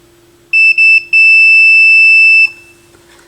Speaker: so again with this if there's continuity it'll beep